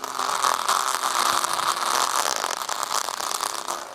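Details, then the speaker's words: Asus FX517RZ laptop after no-boot/artifacts repair, audio playback test: right speaker okay, left speaker harsh, raspy, buzzy, breaking up on louder parts with constant crackle; left speaker blown, needs replacement. "yeah, the speaker on the left is junk, so maybe we can replace the speaker if I had one,"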